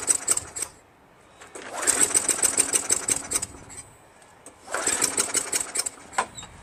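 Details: Craftsman Eager 1 22-inch self-propelled mower, 5.5 HP Tecumseh, rebuilt carburetor, intake seemed dry; short ragged bursts of firing catch a second or so then fade out. Sticking governor causing sputtering no-run, fixed by adjusting governor back slightly.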